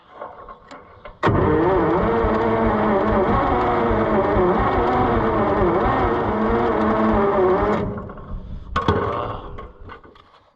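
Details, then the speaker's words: Long-dormant John Deere 55 EB combine at its first start attempt, with low compression suspected; the engine catches and runs roughly for about six seconds, then dies. Starts briefly then stalls; cause not confirmed. "we did hear it run for a second so we know we can replicate that result we're just going to have to have to work on it a little more which is fine it really needs to"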